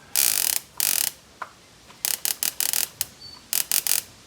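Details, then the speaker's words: 1969 Dodge Charger distributor spun by hand out of the engine: sharp crackling spark snaps in irregular bursts, yet no spark when installed; car quit and won't start, cause still unknown. "watch when i spin it you can hear that thing sparking like crazy but when i put it in the engine it doesn't spark"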